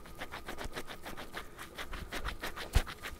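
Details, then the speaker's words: KTM 350 EXC-F rear wheel bearing turned by hand with the wheel off: quiet, gritty scratching pulses; worn, rough bearing on its way out, being replaced. "bearing is on its way out so we're about good timing of um changing these"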